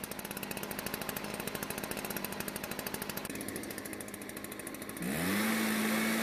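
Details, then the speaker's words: Stihl backpack blower that wouldn't start due to old gasoline, now running with rapid popping rising to a steady high rev. The spark plug shows slightly lean, with a whitish ground strap; it could overheat if run on. "the problem is after running the engine and inspecting the spark plug its color shows it a bit lean on fuel now the curved ground strap is a bit white in color and continued running might cause the engine to overheat"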